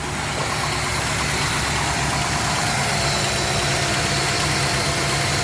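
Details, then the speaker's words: 1977 Pontiac Trans Am V8 at cold idle on choke (fast idle) after four or five vacuum leaks were fixed; steady, even idle with no stumble, hiss or misfire, running far better than before. "just by fixing I don't know four or five vacuum leaks at probably like six or seven you can hear that the car is idling way better than it was"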